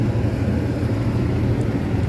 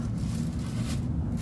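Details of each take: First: Carrier ductable AC unit blower after the remaining screws were fitted: an even, steady low hum with no rattle, only mild vibration. Noise is much reduced from before, so it now runs normally. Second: Carrier ductable AC unit blower, heard standing up near the unit after fastening screws on the loose blower cover: steady low rumble with some rattle remaining; noise much reduced but not fully gone, remaining screws still to fit.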